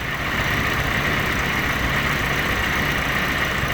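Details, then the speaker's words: Willys jeep L134 engine at idle after the distributor is turned back, retarding the timing slightly from over-advanced. The popping has disappeared and it runs with a steady, even, unbroken note. Normal idle. "There you go. And that's all disappeared, all that popping, and it's running evening."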